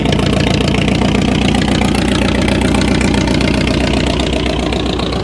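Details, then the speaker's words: Ford truck idling: loud, even idle with deep exhaust rumble and steady firing, no knocks or misses; no leaks, running normally. "But nothing's leaking. Nothing's wrong with it. It's working just fine."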